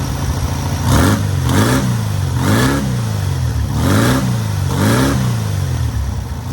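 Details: Newly rebuilt air-cooled VW 1600cc flat-four on its first start and break-in: about six clean rev blips rising and falling smoothly, no knocking or misfire; normal, healthy running.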